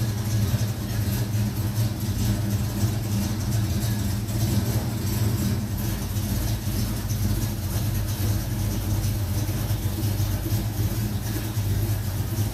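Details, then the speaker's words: 1970 Mach 1 clone V8 with a 600 Holley carburetor, still a little cold: a deep, steady burble with an even beat and no misses or knocks. Normal idle. "so sounds good it's just a little cold so we'll get this running right"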